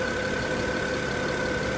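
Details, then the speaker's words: 2010 BMW 535i idling during repair work after the starter job: a steady, even idle with a faint constant whine and no knocks or misses. It sounds okay. "now this doesn't sound bad it sounds okay"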